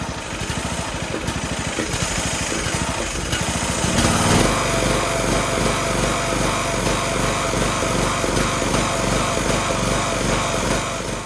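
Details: Toro Z420 TimeCutter zero-turn mower after motor swap, first start with choke on and PTO disengaged: engine catches and chugs with an uneven, lumpy beat around two or three pulses a second; running rough because the carburetor wasn't cleaned.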